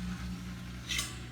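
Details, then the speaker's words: Frigidaire Gallery dishwasher in rinse mode with its supply hose disconnected into a pan. The motor hums and runs but no water fills. Cause: the overfill float rod was blocked from its switch by a foam noise barrier installed backwards. "I can hear it you know it's it's running it's turning it's trying to do stuff but no water so either that valve is not working or it's not getting a signal to work"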